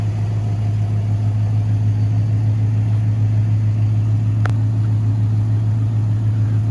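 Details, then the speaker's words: 1986 GMC Sierra Classic 2WD short bed square body, some leak noted: deep steady idle with even low burble, no ticks, knocks or misfires; runs really well. "overall it runs really well"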